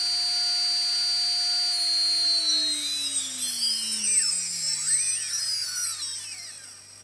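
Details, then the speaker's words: Single T-Motor 2206 2000KV brushless motor on a 20A ESC, bench-mounted on an arm with a benchtop power supply and servo controller, no propeller, speed slowly ramped up: clean smooth whine sliding evenly in pitch, no grit or rattle. "so as i dial up the speed it was kicking at about 118 there we go and then slowly ramping up the speed you can hear how fast it will go"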